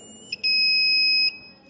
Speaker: near the copper coil, electromagnetic induction takes place, and because of this induction using copper coil, our buzzer connected to the copper coil is turned on and it functions and it starts making this sound, alerting us of the presence of metal.